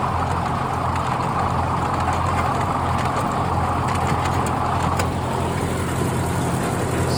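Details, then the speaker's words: Old Ford tractor running a brush hog after servicing, mower recently sharpened: constant low engine drone under an even whooshing rush from the mower, with no knocks, thumps or grinding; running fine. "like she's working pretty good"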